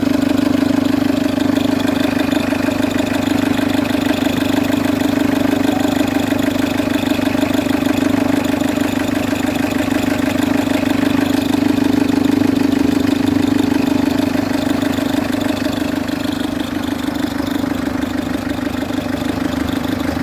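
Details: Citroen C3 HDi diesel idling with a loud steady whirring hum and fast rhythmic chatter from the worn auxiliary/serpentine belt tensioner; the tensioner is to be changed along with the belt.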